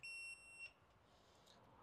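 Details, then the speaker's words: Motorcycle overheating diagnosis, fuse tested out of the bike with a tester in continuity (bell) mode: one short high steady beep when probes bridge both blades, circuit complete, fuse good. "And what you want is when you make the circuit, you get that beeping. So with the fuse out, we go on one blade, another blade, or we've made a circuit and it's good."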